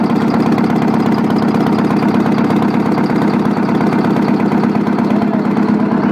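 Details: Old Detroit 8V71 two-stroke V8 diesel at idle with rocker cover off, spraying a little oil; loud steady idle around three thumps a second with heavy clatter; even at idle it's loud.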